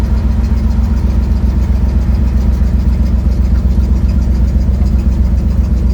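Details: 1972 Ford Mustang driving home, phone mounted in the dash, leak not yet fixed: deep rumbling engine with a rapid, fairly regular puffing tick about four per second over the drone. Exhaust leak.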